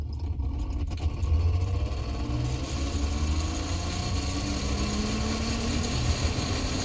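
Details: 2017 Toyota Sienna with engine idling: loud roar from the AC blower fan, low tone rising as it spins up; blower motor suspected and being replaced.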